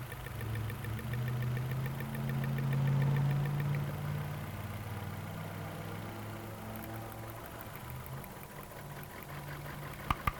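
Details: 2009 Nissan Altima with check engine light, P0300 and heavy engine shake: lumpy petrol idle with sharp snapping clicks as cylinder 2's ignition coil arcs visibly, causing a misfire.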